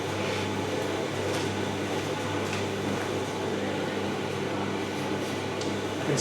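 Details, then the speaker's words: Simpson EziLoader dryer, model 39P400M-V1, after new belt and drum bearings, running with heat on, direction reversed: smooth, even drum hum, no knocking, squeaking or rubbing; quiet both directions, earlier one-direction noise gone. Normal running. "I'm gonna call it only a success and there it is all fixed running quietly pretty quietly not making funny noises in One Direction on the other and heat coming out of it"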